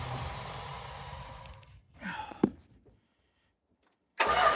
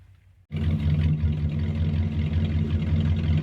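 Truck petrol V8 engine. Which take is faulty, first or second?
first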